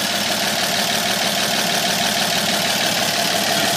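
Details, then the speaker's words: 1950 228 six after new water pump, fuel pump, fan belt, rebuilt generator and fresh fluids, not yet timed: steady, even idle with a smooth purr, no knocks or misses, no water leak; normal idle. "okay new water pump is in it's a good one it's it's bur like the kitten"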